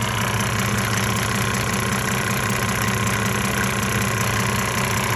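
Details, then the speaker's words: 1998 Mercedes-Benz E300 OM606 diesel, 185,000 miles, at 9,000 ft in Colorado, hot idle during the Diesel Purge cleaning with smoke still showing. An uneven, lumpy clatter of about 160 beats a minute gives a rough idle. The owner suspects poor injectors. "I haven't had the car probably seven or eight years and it's never ran fantastic I think the injectors would just kind of it spits these batteries a little here and there"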